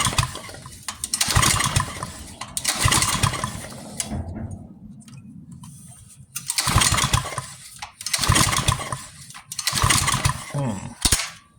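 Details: Pressure washer with a new carburetor and a newly replaced ignition coil: several separate pull-start bursts, each turning the engine over briefly with quiet gaps; it never catches, possibly flooded or switched off.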